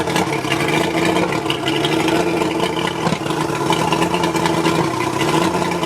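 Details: Mercury 135 outboard rough idle: uneven, stumbling idle with an irregular exhaust beat, pointing to a misfire on one or more cylinders. Spark plugs suspected, not confirmed.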